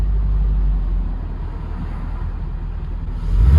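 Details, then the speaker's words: Barn-find C4 Corvette ZR-1 after an ECM repair: a deep, even, steady idle without misses, running perfectly; it cut out again once the bonnet was shut, and the ECM is suspected. "okay so it's running perfectly"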